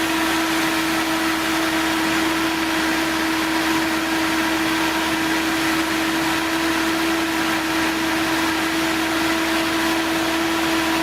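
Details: 1970s Datsun, with the ignition system recently worked on, idling after its dead 6.5-year-old 12V battery was rejuvenated: an even, steady hum with no knocks, misses or surging. Normal idle.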